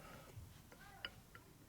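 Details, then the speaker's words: 1965 Harley-Davidson Panhead 74ci FLH engine rebuild: sparse light clicks as the cam is slid by hand, showing side-to-side and top-to-bottom clearance in a worn, loose cam bushing. "that's actually clearance in the bushing idiot side to side and top to bottom you loose your top to bottom it's loose in this plane right here okay so whenever you get clearance like that you know it's loose"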